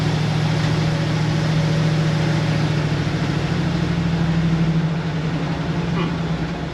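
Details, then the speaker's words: 1966 Ford F100 with a 302 and AOD automatic, driving after throttle valve (TV) cable adjustment: steady drone under load, then pitch drops smoothly on a clean upshift with no flare or bang. "All right, will it shift? That's a good shift."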